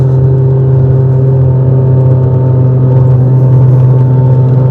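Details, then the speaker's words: 2012 John Deere Gator 825i that wouldn't rev past 4000 rpm, two-wheel drive, diff unlocked, high range on grass, full throttle: strong, steady deep drone without misses, knocks or surging, shifting up well; normal full-throttle run. "Let's see what we can get out of this work rig. Oh, full throttle right"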